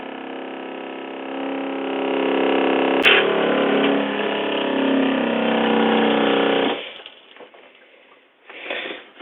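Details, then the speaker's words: Fresh water pump on a vintage Cruiser 19 ERD trailer after a faulty check valve was replaced with a half-inch SharkBite check valve: steady even drone as the lines purge air and pressurize, then a clean shut-off; normal operation. "right once we got the air out of the lines the system was able to pressurize and voila"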